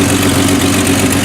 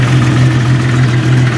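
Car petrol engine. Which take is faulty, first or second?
first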